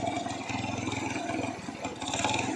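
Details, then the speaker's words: Small single-cylinder motorcycle (similar to an Astrea Grand), unused for years, makes no noise when revving but a light irregular metallic clatter when the throttle closes; engine knock on deceleration. "Nah kalau digas enggak enggak bunyi ya Tuh tapi kalau gasnya turun agak bunyih nah nih suarnya"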